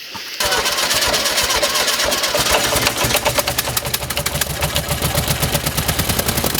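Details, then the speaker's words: 1971 VW bus after new carburetor install, air cleaner removed, previously running rich: catches right away and settles into a loud, uneven, lumpy idle; rough idle, timing and carb adjustment planned, cause unconfirmed. "Alright guys, well it's running. It's just running a little rough."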